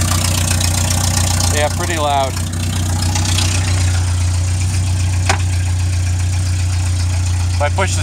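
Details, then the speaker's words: 1961 Land Rover Series II, hand-cranked on flat battery, cold: loud, deep, raw unmuffled rumble at idle; muffler fell off, recorded as before test ahead of new muffler install. "I'm going to start it right now and hear how loud she is put the muffler on and see how quiet she whispers"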